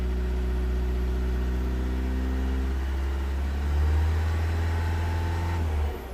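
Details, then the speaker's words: 2015 Vauxhall Vivaro 1.6 CDTi diesel, accelerated and held at raised rpm for about six seconds, then it abruptly cuts out at around 2,500 rpm. It cuts out at about 2,500 rpm cold and 3,000 rpm hot; fuel rail pressure reads okay, and the cause is unclear. "And it cut out. As you can see, the fuel rail pressure, it actually reads okay. Not really sure why it's cutting out."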